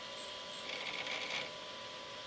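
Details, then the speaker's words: Flying Bear P902 3D printer Y-axis stepper, driver potentiometer turned down too far: thin faint whir with a buzzy stutter; motor too weak, sometimes won't turn, skipping from too little driver current. "now it's too weak now I was like oh I can barely sometimes it it doesn't want to turn that's too weak"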